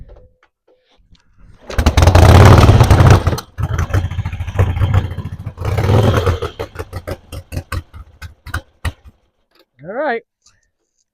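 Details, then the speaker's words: 1966 Harley-Davidson Sportster 900cc XLCH Ironhead, kickstarted after sitting for years with old gas drained, choked and given ether. Two rough bursts of uneven firing at about three a second, then it dies while new gas is drawn through. Coughing start after long storage. "got her coughing, guys. Roll more. Got to bring that new gas through."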